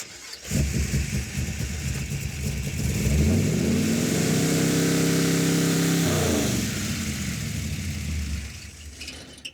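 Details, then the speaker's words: Roadkill drag car V8 after replacing failed ignition boxes, distributor, coil and wiring; vacuum advance: catches and climbs to a steady, even fast idle, then settles; normal running. "okay it's got vacuum advance so you have to give it about 4,000 I think"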